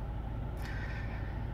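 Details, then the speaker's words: 2017 Hyundai hybrid at about 147,000 km: rough, uneven idle with lumpy thuds and engine shake; check-engine light came on while driving; misfire code P0304 for cylinder 4. "вот только что ехал в городе мне загорается чек начинает колотить мотор как сейчас"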